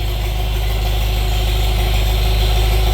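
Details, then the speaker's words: Old tractor (Farmall Super MTA or John Deere MI) parked for years, first start after years: deep, smooth, even drone with a steady low rumble, no knocks or misses; idling healthily, charging. "That's a familiar sound. It's been a few years since I heard this thing going."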